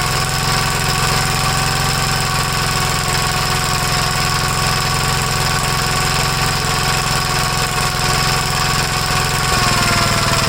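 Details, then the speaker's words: 1956 Gravely L single-cylinder after valve adjustment, timing check and carburetor re-adjustment with air cleaner hose refitted: fast, choppy, slightly hammering beat, a little better; still rough running, owner suspects valves. "well it's a little bit better I have a feeling something going on with the valves so I'm pretty sure we have to rip the whole top end off"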